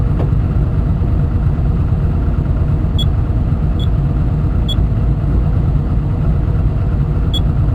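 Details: Komatsu diesel engine with low power, high vibration and white smoke: deep rumble with heavy, uneven pounding and a few sharp clicks; knocking, cause not yet known.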